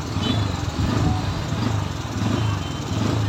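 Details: Bajaj Pulsar N160 with an RPM problem: the single-cylinder engine's beat swells and sags every second or so instead of holding steady, so the idle is hunting.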